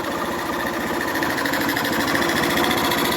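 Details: 2011 Honda Fan 125 after a head and cylinder rebuild, its cylinder and piston having been worn by lack of oil: a steady, even single-cylinder patter at idle, about three beats a second, with no knock; the engine is now quiet.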